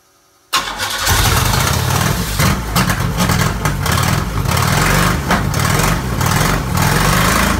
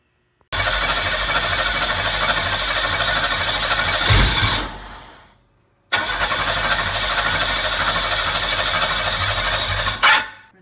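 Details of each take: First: McLaren M6GT replica with a GM 3.8L supercharged V6 from a Bonneville SSEI, after a missing 12 V feed wire was fixed and the fuel pump reattached: the starter cranks briefly, then the engine catches cleanly into a steady, even idle. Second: McLaren M6GT replica (Manta Montage "Coyote X") with GM 3.8L supercharged V6 from a Bonneville SSEI, after fixing a missing 12 V feed wire: two long bursts of fast cranking that never catch; fuel pump disconnected, suspected short on fuel.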